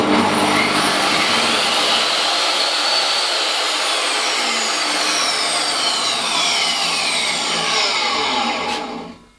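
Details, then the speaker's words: Table saw motor after fitting a cheap soft-start unit: motor winds up gradually to its high whine without the usual jolt, runs steady, then coasts down; soft start works, not refined but better. "is a lot better it's not exactly refined but it is better with 20 pounds of anyone's money"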